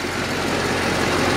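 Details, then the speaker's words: LBZ Duramax diesel truck with about 300,000 miles and stock exhaust: even, steady diesel clatter at idle with no misses or knocks; normal idle. "but yep sounds like a Duramax 300,000"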